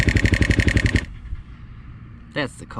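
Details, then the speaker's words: 2008 KTM 530 EXC-R dual sport, cold start in December: cold, thick oil leaves the hydraulic tensioner without enough pressure, so the cam chain slaps with fast sharp hits, about nine a second, over the idle; cam chain slap. "when the oil is too thick when it's cold out or if the motor is just cold in general they can't get enough oil pressure into that hydraulic tensioner right there that cam chain is just a smacking"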